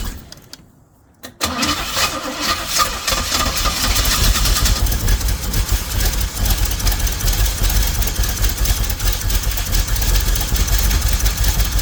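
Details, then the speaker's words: Pink Jeep, choke not wired and radiator bubbling coolant: short crank, then it catches and runs with uneven, lumpy pulses and wavering speed. Rough running; possible flooding suspected, cause not pinned down. "yeah I know this thing's never really ran that good"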